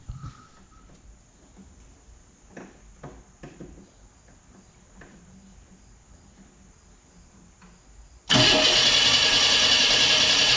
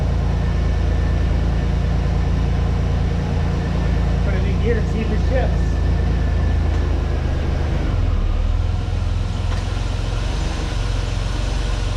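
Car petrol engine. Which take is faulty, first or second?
first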